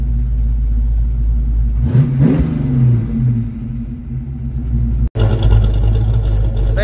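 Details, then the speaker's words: 1982 Ford Mustang GT, cold start after new factory-style tailpipes and added clamps: a low, even idle with one quick rev, no puffing, ticking or rattle from the exhaust. Normal exhaust note. "are sounding much better back here not sure what's spitting out that tailpipe but things are sounding a lot better back here than they were I don't hear anything underneath the car"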